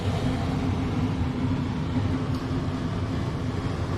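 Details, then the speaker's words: Gas fireplace burner tested after a new gas valve handle was fitted and the leaking furnace cap was repaired: even, low roaring rush with no popping or fluttering, steady throughout; running normally. "it there it is this is nice little furnace like I said some of these will probably clogged up a little going to take have to be burned out a little bit other than that it's"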